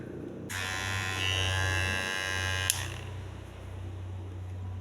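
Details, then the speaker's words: Kemei hair clipper still too loud after blade and internal spring replacement, before further repair: switches on with a harsh, shrill buzz, strong low hum under a bright whine. "jadi suaranya itu tetap nyaring Oke akan Coba saya tes dulu Nah itu dia guys ya suaranya lumayan nyaring"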